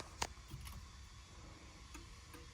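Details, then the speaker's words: 1964 Ford Thunderbird after fitting a new positive battery cable, key on: faint, light clicks at blinker pace inside the car; turn signal flasher working. "oh I hear the blink blinker let's go see if we have a blinker we got blinker"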